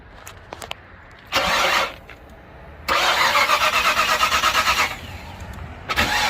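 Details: Old car being jump started, fuel back up to the filter, throttle held wide open without pumping. The starter cranks in two bursts with even pulses about three per second, but the engine never catches.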